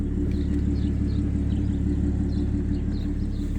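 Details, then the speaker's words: Audi A6 3.0T with Motorsport crackle tune, non-resonated downpipes, stock rear mufflers and a Gibson 55106S muffler, revved parked with door open: deep even rumble, loud at high RPM, rasp gone. "yeah so it still gets loud when you get on it but that's like in the higher RPMs but the rat the thing is the rasp is gone that's that's what I wanted"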